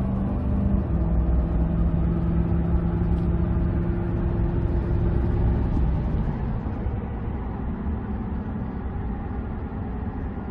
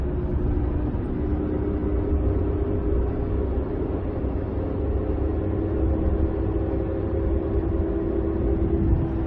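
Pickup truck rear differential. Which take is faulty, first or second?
second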